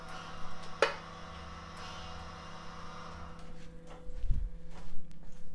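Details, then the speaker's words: ABS unit during a brake bleed commanded with an Autel DS808 and a Wuth pressure bleeder, front right wheel, about 1 minute per wheel: steady low electric drone with relay clicks and valve thumps; ABS pump running normally. "Là, on entend vraiment bien le boîtier ABS qui travaille. Ouais, faut compter environ 1 minute par roue."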